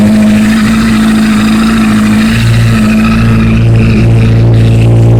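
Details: 2008 Honda CBR1000RR being revved: a loud, fast clacking of about three knocks a second over the exhaust. It began after a thud when shifting into third under acceleration, with white smoke from the triple tree area under hard acceleration; source unknown.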